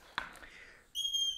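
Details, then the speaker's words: Cheap Bell Floornado 550 floor pump on a Presta valve, pumped slowly, tyre reaching 35 psi: quick stroke then a thin steady high whistle of air escaping where the pump head meets the valve. "it's making such a funny sound and as you can hear it's actually leaking air"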